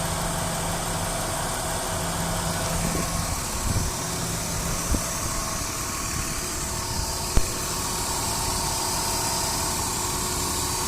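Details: Ford Taurus 3.0 Duratec DOHC at idle with AC on max; ragged, uneven low pulse and occasional stumbles under AC fan hiss from a cylinder 2 misfire, worse with AC. Fixed by new coils, plugs and wires.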